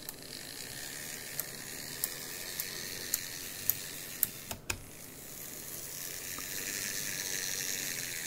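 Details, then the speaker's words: Graham Farish N gauge GNER HST loco (Chinese Poole-type chassis) with dodgy contacts and a snapped bogie post: quiet whirring drive with regular sharp ticks about four per second. Fine in one direction, clicking in the other. "oh how weird is that okay so so far we've had dodgy contacts a bent bogey post oh sorry snapped one and for some reason um something's going click click click click which um is odd"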